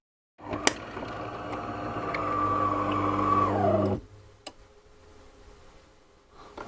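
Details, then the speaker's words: Delonghi bean-to-cup coffee machine that has packed up, part on hand for repair: rough gravelly whir with a droning tone for about three and a half seconds, then the machine turns itself off; internal mechanism noisy, cause unknown. "you can hear the mechanisms really noisy inside right it's turned itself off"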